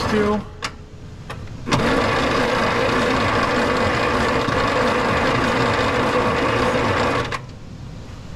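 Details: 1941 Plymouth Special Deluxe barn find, parked since 1995, battery recharged, carb and choke cleaner sprayed in: starter grinds steadily about five and a half seconds with faint catching under it, but never fires and runs.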